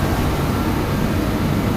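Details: DeWalt torpedo heater, after a no-start and fuel-spitting issue and a pressure adjustment, warming the shop: steady, even roar of burner and fan with no sputter or surging; running normally.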